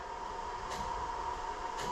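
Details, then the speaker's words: 2000 Jeep Grand Cherokee 4.0L, key on engine off: the ASD relay in the underhood fuse box buzzes faintly, and touching a test light to one unlabeled fuse turns constant buzzing into intermittent buzzing, pointing to a poorly contacting fuse. The Jeep also starts hard and stalls. "So the constant buzzing stops and the constant buzzing turns into occasional buzzing if I touch my test light to there."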